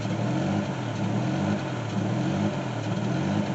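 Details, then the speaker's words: 2002 Chevy TrailBlazer with check engine light and code P0507: idle hunts, RPM rising and falling about once a second and sounding odd. Surging idle, fixed by replacing the throttle body, one ignition coil pack and the fuel regulator. "Alright, as you can see, the RPM needle at idle is going up and down, up and down, up and down, and up and down."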